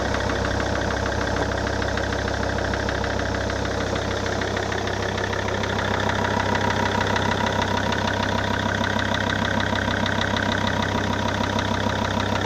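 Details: SsangYong Rexton 2 diesel after a major engine overhaul: steady idle with a persistent rhythmic knock, roughly two per second, evenly spaced. Internal engine knock, cause not yet known.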